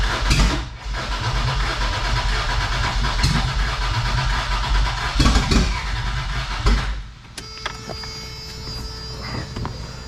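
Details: Toyota 4Runner 3VZ-E, first start after repairs for no compression on two cylinders, distributor possibly too far advanced: uneven cranking with ragged irregular firing that cuts out, reluctant start, cause unconfirmed.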